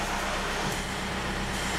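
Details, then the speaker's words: 2004 Toyota Avensis idling with the steering at full lock after the accessory belt was adjusted: a steady engine idle with no squeal or whine. The grinding noise at full lock is gone; a power steering pump fault was first suspected. "rapaille c'est bon le vol a disparu donc pour moi c'est réglé il ya plus de soucis au niveau de la direction"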